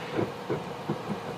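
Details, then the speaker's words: 1993 OMC Cobra sterndrive on a Sunbird boat, water found in the bellows; shaft pulled out of the coupler and spun by hand gives gritty uneven rumbles with rough spots and visible wobble, same noise heard when running in neutral, forward or reverse: worn gimbal bearing. "I can feel it. There's several rough spots. Again, that's exactly what it sounds like when the motor's running in neutral, forward or reverse."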